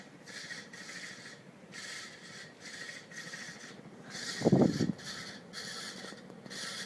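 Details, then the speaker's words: 52-inch second-generation Fasco Charleston ceiling fan, stack motor, on high: dry rasping scrape repeating two or three times a second, timed with rotation; owner suspects the bearings or the capacitor, cause not confirmed. "listen to that i don't know if that's the bearings or what or the capacitor i can't really pinpoint it"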